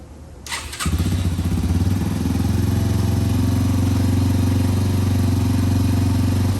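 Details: 2005 Yamaha TTR230 single after fuel-air mixture screw adjustment, muffler fitted: fires up and settles into a steady, even thump with no ticking; runs well, though the clutch is not working.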